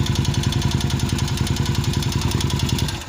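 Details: Vento 250 single-cylinder motorcycle (same engine as Revelia) idling with a heavy, regular knock from deep in the bottom end; teardown shows crankshaft moving up and down, damaged connecting rod and crankshaft bearing.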